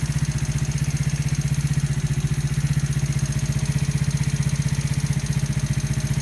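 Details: New engine at 200 km, valves adjusted to 0.05–0.07: steady idle with a sharp, even knock about four times a second over the low thump; clear mechanical knock, source unknown.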